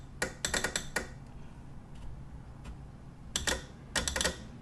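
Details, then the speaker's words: Polaris Outlaw 110 EFI quad that won't crank, only clicks: sharp dry clicks in quick bunches, then two more short bursts; the solenoid clicks but the multimeter shows no output reading. "so it's clicking but I'm not getting any reading on there let me switch these around just to make sure yep not getting any reading"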